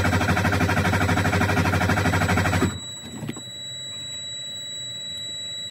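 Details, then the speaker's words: 2009 Freightliner Cascadia diesel at 1,061,891 miles, cranking during a compression test: steady, even starter cranking about three compression pulses a second, cut off early so the test had to be rerun; normal cranking. "Let's just do a quick little compression test to show you guys what the numbers are."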